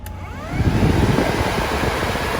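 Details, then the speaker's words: DIY HVAC unit's 12-volt radiator cooling fan spins up to a loud, steady rushing whoosh with a low rumble. It is too noisy and annoying to work near, so it is judged unsuitable. "really noisy and it can be really annoying especially when you're trying to do some work so those 12-volt fans those radiator fans cooling fans aren't going to work really well"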